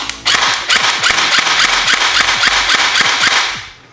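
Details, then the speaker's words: Airsoft gun after gearbox reassembly, power connected and trigger pulled to check the work: quick, crisp clacks about four per second with a clean motor whir between shots; gearbox cycling normally. "Just to make sure that I didn't screw it up, I'm going to plug this back in and pull the trigger."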